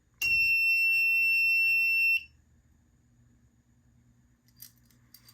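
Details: FireLite MS-2 fire alarm panel after walk test and reset: a steady, piercing high buzz holds for about two seconds then cuts off, the panel's trouble buzzer sounding.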